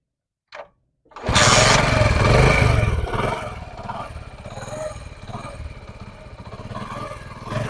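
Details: Honda CD 70 single-cylinder bike after a tappet (valve clearance) adjustment for engine noise: it cranks, then settles into an even, steady idle with no tappet clatter. Normal idle.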